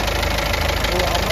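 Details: Ford EcoSport diesel, check-engine and oil lights on, oil possibly low and leaking: loud idle with hard, even thak-thak knock every cycle; teardown showed a piston/valve-related knock and a fully leaking head gasket with blocked coolant passages.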